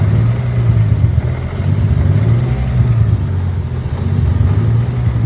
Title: M52 (Turbo) Rough Idle after ECU (Link G4X) firmware update